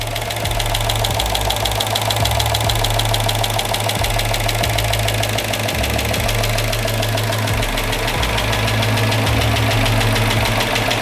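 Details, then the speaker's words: Freshly rebuilt Chrysler Hemi 5.7 V8 in a Chrysler 300, first start before warm-up: idle with fast heavy lifter tick over the rumble; owner expected it to fade, and it ran smoothly after heat and a short drive. "Again, we have some pretty heavy lifter tick, but I believe that will go away."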